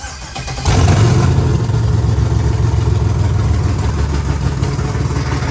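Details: LS-swapped 4x4 Cadillac burnout car, first cold start after wiring work: V8 catches quickly on the starter and settles into a deep, even, slightly lumpy fast idle; clean, healthy cold start.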